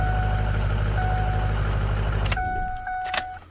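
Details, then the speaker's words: 2005 Ford F-250 6.0 diesel after camshaft position sensor replacement for intermittent cranking no-start: fires quickly, settles into a steady even low-rumble idle, then shut off; starts much quicker now. Normal start. "Oh yeah, so much better. That thing starts up way quicker now."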